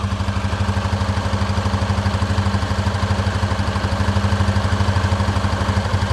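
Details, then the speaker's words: Honda CB300F Twister single-cylinder commuter at idle: even thumping with a light metallic rattle from the top end, like something loose knocking; louder when engine is hot after riding, fainter once cooled and oil settled; new noise, cause unconfirmed. "Parece que tem algum ferro, alguma coisa batendo. Tem um barulho tipo um chucalho."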